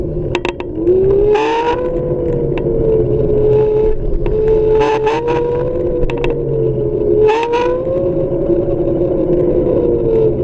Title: RUIDO RARO en el MOTOR de MI XIAOMI M365